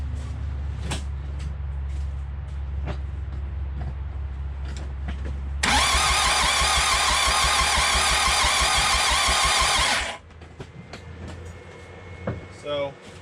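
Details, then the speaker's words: 4D55T diesel swapped into a Mitsubishi Montero/Dodge Raider, cranking with oil cap off and breather hose open: even cranking pulses, then loud rushing hiss with smoke; excessive crankcase blow-by from low compression, needing rings and pistons. "i'm gonna go ahead and crank it over and you can watch that thing shoot right off of there"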